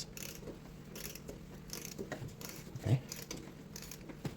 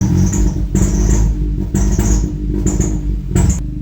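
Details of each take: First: Ford EcoBoost with a replacement cylinder head, timing set without timing tools, head bolts torqued: the crank is turned by hand for a few revolutions with slow ratchet clicks and no metal-on-metal tap. TDC, belt and timing check fine, so there is no valve-to-piston contact. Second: Ford EcoBoost engine, timing done without timing tools: starter cranks in repeated slow churning bursts with whirring, no clean catch; hard start, cam/crank correlation fault.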